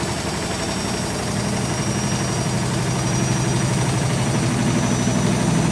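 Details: German washing machine on fast spin after repaired dampers were fitted, with the cushions removed. It stands on four feet on linoleum, unpropped. Low drumming rumble builds with a loose, uneven throb: excessive tub vibration, side wall shaking, machine stays in place.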